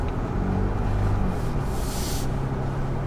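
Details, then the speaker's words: 2021 Ford Bronco First Edition driving with a Bestop soft top in place of the squeaky factory hardtop: steady road and engine drone over small bumps, no clicks, pops or rattles; quiet roof with no rattle. "Oh, the silence, the serenity. Thank you, Best Top, for solving that issue in a big way. Oh, I can breathe."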